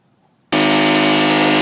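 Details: Salvaged air compressor rebuilt from parts of three units, airing up at about 90 psi; the motor kicks on and settles into a steady, even hum while pumping. The compressor sounds healthy.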